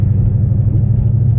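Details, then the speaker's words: Car with McLeod RST clutch and 3.73 gears, pulling in fourth gear at low rpm; deep lugging rumble with fast shuddering pulse. Clutch chatter. "There's a little bit of chatter out there, low RPMs."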